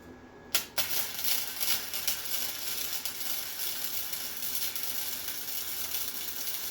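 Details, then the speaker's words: Harbor Freight Titanium Flux 125 flux-core welder, new, bead on back side after turning heat down and wire feed up slightly: steady crisp bacon-frying crackle, no popping or sputtering; welds fine. Normal. "Yeah, I'm still gonna have to mess with settings and stuff a little bit, but it welds fine."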